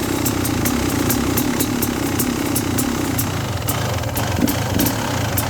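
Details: 2017 XT two-stroke, jetting 38/162/NECW3, at 150 ft elevation and about 60°F: at steady throttle sharp irregular high pops break up the note; misfire or stutter with surging and sometimes a faint cylinder knock when riding.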